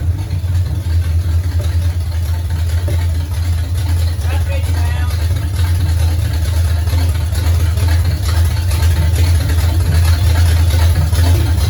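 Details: 1969 Pontiac GTO barn find with Grand Prix V8, TH400 and Quick Fuel 750cfm carb, after 17 years sitting; steady low even idle, no knocks or misses, alternator charging 14 volts, fluid smoking off headers, some valve-cover blow-by. Normal running.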